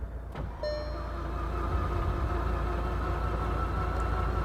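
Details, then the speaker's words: VW Golf GTI Mk6 engine under rebuild, compression test cranking: engine spins fast and too freely, an even beat about four per second with no labouring pulse; cylinder one reads zero compression. "Oh, that doesn't sound good. That does not sound good. That's spinning a bit too freely."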